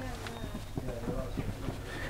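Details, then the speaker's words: Suzuki Jimny pre-MOT check, jacked-up front wheel rocked at 12 and 6 o'clock: dull low knocks about three or four a second; slight play, not excessive enough to fail, possibly a minor advisory. "there is a bit of play it's not excessive so it wouldn't be a failure but it could be a minor though"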